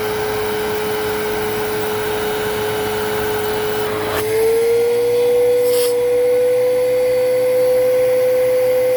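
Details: Riccar Vibrance Commercial Premium vacuum after new motor bearings and brush bearings (the motor had sounded bad before), during an airflow test at the taped bag inlet: smooth whine that settles slightly higher and holds even; a healthy motor.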